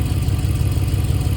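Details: 2013 Dodge Charger idling after a new water pump was fitted. It is a smooth, even low idle with a steady rumble and no knocks, rattles or squeals, so the engine is idling normally.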